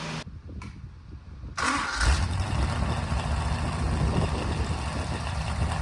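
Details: Rebuilt 1974 Mopar 400 big-block V8 on a run stand, first start: silence, a couple of cranks, then it catches and settles into a steady, lumpy high idle; sounds healthy.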